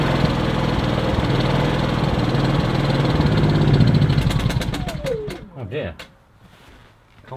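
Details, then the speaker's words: Kipor IG2600 digital generator that sat unused for years, restarted on choke when cold: runs steadily, then falters, surges briefly and stops within seconds. Ran out of petrol; fuel starvation. "We run out of petrol. Oh, run out of petrol."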